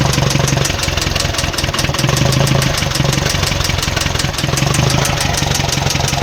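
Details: Mitsubishi Strada with 4N15 diesel engine at idle: steady clatter with regular sharp ticks riding over it; engine knocking at idle, cause not pinned down.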